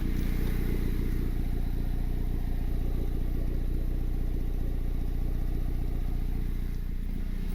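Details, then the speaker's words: Honda Civic R18 with eBay turbo kit, started after first oil change, primed first, running open exhaust: steady, even low idle with smooth regular beat, no ticking or exhaust puffing, oil light gone; normal idle. "Oh, let's start it right up. Oil light is gone. Nice and quiet. I'm running that open exhaust right now."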